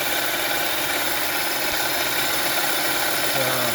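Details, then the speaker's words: 2011–2017 Honda Odyssey after rebuilding the leaking, noisy-bearing power steering pump with new bearing and gaskets, fluid topped up and air bled by turning the wheel: smooth, even idle hum, no whine or growl; pump healthy. "So and now the car is less noisy because of the bearing. So I'm just gonna top a little bit more fluid here, and then move the steering wheel to the left and right to leave some of the bubbles out, the air out. Definitely sounds much better now."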